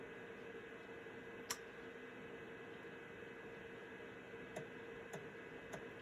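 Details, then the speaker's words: Citizen W1D floppy drive in Compaq Armada 7770DMT after belt replacement, reading MS-DOS 6.22 disk 1: quiet steady hum with sharp isolated head-step clicks; reads smoothly, healthy. "That's a very good sign. And this diskette drive, or the diskette rather, is disc 1 of the MS-DOS 6.22 installation, and it looks like it is handling that just fine."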